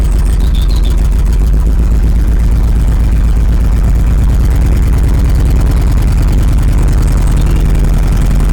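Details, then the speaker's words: 1986 Rolls-Royce Silver Spirit II, parked since 2022, just caught after long cold cranking: heavy, lumpy low idle with an uneven stumbling beat, one cylinder not firing; still some bad fuel in it, spark plugs to be checked next. "There it is. Running. Obviously still got a bit of bad fuel in it."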